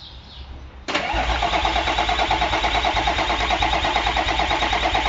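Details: Diesel engine after a long-neck injection pump replacement and fuel bleeding; starter cranks steadily at about three compression beats a second but never fires; the pump's head is to be switched to the other side if it still won't start.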